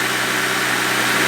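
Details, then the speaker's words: Mercedes CL65 AMG twin-turbo V12 just refired after repairs, with no coolant in it yet: steady, even hum with no stumbles or misfires, smooth enough to sleep on; clean, normal idle. "nice no misfiring i could go to sleep on this thing idle down give you a little growler"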